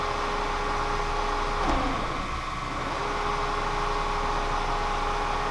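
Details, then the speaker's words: Kearney & Trecker 307 S-12 plain milling machine after distribution box reinstallation in the knee: motor hum sags for about a second then recovers, feed motor bogging and not picking up; owner suspects flow control adjustment, power feed not engaging. "it's not wanting to pick it up and it's dropping off I'm not sure what's going on sounds like the motor's"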